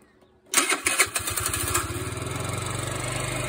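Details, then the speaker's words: 50cc four-stroke moped that died and wouldn't start, after adjusting rocker valve screws (intake 0.003 in, exhaust 0.004 in): brief crank then immediate catch to a quick even putter with no misses. Normal start after repair. "go she lives"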